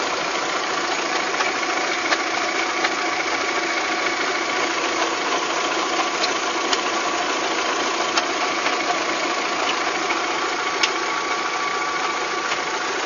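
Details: VW Golf 3 engine at steady idle with light, uneven ticking of about one tap per second. It is an abnormal engine knock whose cause is not yet pinned down, in a clip tied to fitting cylinder-head parts.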